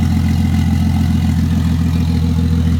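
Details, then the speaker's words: Toyota 2JZ turbo six with 70mm turbo, first start before intake plumbing fitted: deep, steady idle with even pulse and muted exhaust, no misses or knocks; normal idle. "Yeah, it's not as loud as you'd think. It's about as loud as I expected it to be."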